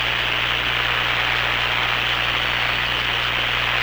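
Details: Hammarlund SP-600 receiver after power-supply filter electrolytic capacitor replacement, at 117 V line with B+ around 300 V: steady, even hiss with a faint low hum and no crackle or popping; normal receiver hiss.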